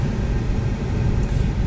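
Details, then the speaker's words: Car cabin A/C blower motor behind lower glovebox at full speed, reinstalled after repair; smooth, steady airflow rumble without rattles, ticks or wobble, much quieter with less vibration. "a lot more quieter now vibration is not as bad you could definitely hear the difference major improvement"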